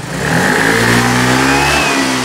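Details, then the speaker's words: Yamaha Mio Gear scooter after repair (earlier only reached 30 at full throttle): snaps cleanly from idle to a high even full-throttle rev, pulling hard without stumble or hesitation; normal. "Gigil na gigil. Parang nakainom ng barako. Kaping barako."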